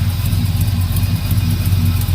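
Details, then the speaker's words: 1971 Chevrolet El Camino, just started: loud deep lumpy idle with faint fast puffing tick from an exhaust leak at the header gasket; header to be pulled. "got a little exhaust stick i'm gonna pull this header off from this gasket"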